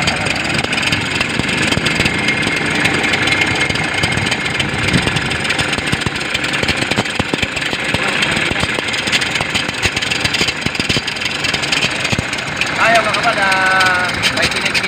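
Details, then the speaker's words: Toyota Innova diesel idling with a loud busy rattling whirr, with the battery warning light on. The alternator bearing or clutch pulley was suspected; the finding is a failed alternator clutch pulley. "inoba Ayan sobrang ingay ng ano niya ah tind natin kung ano ang maingay diyan bearing o yung clut p ng alternator"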